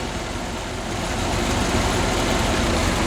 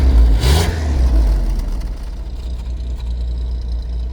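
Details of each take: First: 1981 Holden VH Commodore back from about 8 months in storage, after new vacuum hoses, oil and coolant and a charged battery: steady low burble with even pulses, no knocks or misses; normal idle. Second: 1981 Holden VH Commodore during a charging-system check after a lights fix: revved hard, then settles to a lumpy fast idle, with smoke and a bad smell reported; the sound can't place the smoke, cause unknown.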